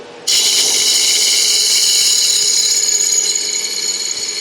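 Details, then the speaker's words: Woodturning a 4x4x4 blank for a lidded box: rapid, dry, high-pitched tapping as the gouge hits the spinning blank while it is still out of round; the tapping stops once it runs true and smooth. "So you can hear the tapping. When it's not quite round, when it's not quite true yet, you'll hear it tapping."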